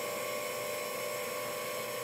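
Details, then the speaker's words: Direct petrol injectors on a workshop test bench at four bar, leak test with no drive: the bench pump gives a steady, even high-pitched whine, pressurising the injectors internally while they are checked for leaks; normal pump operation. "run the pump you hear the pump running that's pressurizing the injector internally and I'm looking to see if there's any leak"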